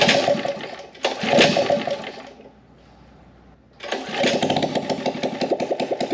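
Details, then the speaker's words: Harbor Freight Predator small engine on a gas Power Wheel build, fuel not reaching cylinder (main jet possibly plugged), primed with brake cleaner: short burst of running, pause, then it catches and runs with a rough, uneven pulse. "let's just give it a little blast of flammable brake cleaner just to hear it light off hopefully it will and maybe that'll be enough to suck up suck it suck the gas up into the carb"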